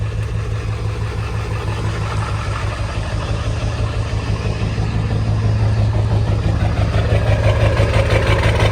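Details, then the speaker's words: Half-million-mile Ford 7.3 Powerstroke diesel idling after replacing both damaged valve cover harnesses and gaskets; deep even clatter with only a faint lope, no shaking or surging, much smoother than before the repair. "This is much smoother than it was before I did the harnesses. Not perfect still. She's still got a little lope to her, but it started up."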